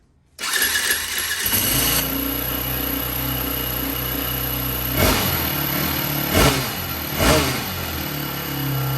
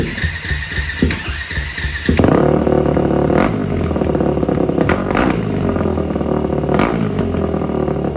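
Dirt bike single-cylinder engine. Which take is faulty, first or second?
first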